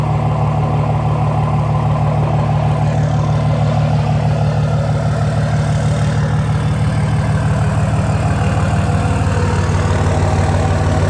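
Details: 2004 Dodge Ram 5.9 Cummins after replacing bad injectors: even, steady diesel clatter at idle with a regular beat, no stumble or miss; running smoothly.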